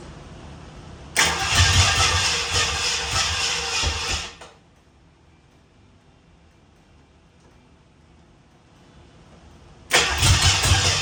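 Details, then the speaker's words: 1967 Ford Bronco, last ran 16 years ago, carbureted; two short cranking bursts catch roughly, stumbling then dying; owner suspects ignition timing out, rechecks firing order 1-3-7-2-6-5-4-8 and distributor rotation. "that didn't sound good dude let's check the fire and order on okay the fire and order is 1 372 6548"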